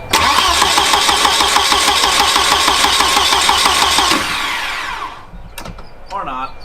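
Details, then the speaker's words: Turbo wagon on a Microsquirt standalone harness, testing with added resistors: starter cranks steadily about three turns a second for four seconds, never catches; seemingly no tach signal at all; crank no start. "sure seems like it doesn't have any tax signal at all"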